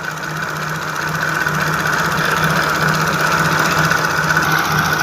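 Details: Jaguar F-Type V6 with faulty fuel rail pressure sensor plugged in: idles with an uneven, pulsing thrum and loose irregular beat, vibrating from over-fuelling; random misfires, codes on cylinders 1 and 3.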